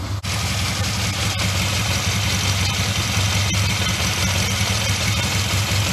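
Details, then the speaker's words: Honda CD200 Benly, old bike started in the shed after petrol was added to the carburetor: even, steady twin-cylinder idle with a smooth low throb and no misses or clatter; runs like a Swiss watch, no leaks, good exhaust pressure. "that was a proper result run like a swiss watch no leaks anywhere lovely pressure at the back of the exhausts hunky dory"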